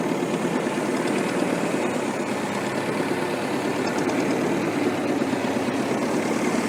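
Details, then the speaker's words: Restored Ferguson TEF-20 diesel tractor, 98% complete: steady even tick-over with constant low chug, no knocks or misses; normal healthy idle. "We'll get the drone up, we'll get it started, we'll get the drone up, and then I'll show you it ticking over."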